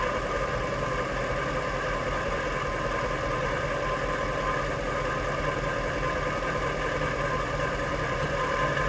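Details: Jaguar XK8 running in gear after a second transmission service with a Transgo pressure regulator valve and proper ATF; a continuous loose rattle persists over the idle and the fix did not cure it; cause still unknown.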